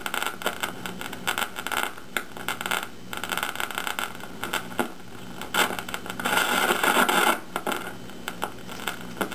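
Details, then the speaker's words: 1953 GE 548PH tube radio alarm clock on 120 volts, tuning across the dial: irregular crackling and frying bursts over the hiss, internal not atmospheric, from leakage across a capacitor in an IF transformer can. "okay some life right away there's trouble hear that you weren't getting any of that through that other radio it's not atmospherics that's internal"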